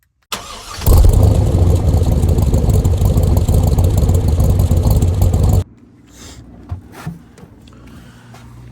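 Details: 2001 Chevrolet Silverado extended cab with 5.3 LS engine and 4L60 transmission, which the owner calls a pain. The engine catches and runs evenly for about five seconds, then cuts out abruptly. Starts then stalls; cause undetermined.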